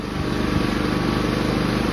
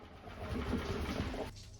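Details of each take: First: Inverter generator after its carburetor was cleaned and reinstalled, previously surging at idle/eco mode: one steady, even engine note, no hunting or surging, running smooth like new. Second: Inverter generator in idle/eco mode: engine speed swells up then sags every couple of seconds instead of holding steady, classic surging; typically caused by a dirty carburetor idle (pilot) jet, so the carburetor is accessed for cleaning.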